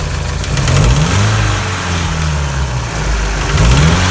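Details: UMZ-4216 petrol engine in a GAZelle Business, ~230,000 km, near end of service life, unknown oil-change history: dull piston knock heard when throttle is opened under load; wrist pins found fine.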